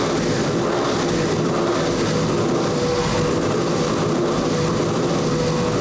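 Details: 4-turbo AWD LS-swapped Audi Quattro race car with four wastegates: loud, steady, even roar with no knocks, misses or surges; engine running cleanly.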